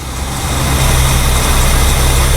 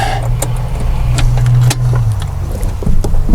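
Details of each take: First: 1969 Mercury 390 Ford FE V8 after pinching off the vacuum line to the rotted, unfiltered power brake booster: a deep, even idle with a steady beat and no hunting or stumble; the booster vacuum leak is confirmed as the cause of the rough idle. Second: Mercury 390 Ford FE V8 with the air cleaner off, after sitting 15 years: a low, lumpy, loping idle with faint ticking; unfiltered power brake booster diaphragm rotted, vacuum leak leaning the mixture, risking burnt no. 4 and 5 valves.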